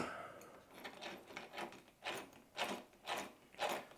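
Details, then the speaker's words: Vitavon differential for a 30° North, turned by hand after two shims (0.3 and 0.5) push the diff forward: soft, even whirring, no grinding or clicking, almost no play; smooth, correct gear mesh. "J'ai mis deux cales ici pour pousser le dif un peu vers l'avant. J'ai mis une 03 ici et une 05 ici. Bon, je me suis emmerdé là. Bref, j'ai fait et là du coup l'entre est il est pas mal et ça bouge quasiment pas."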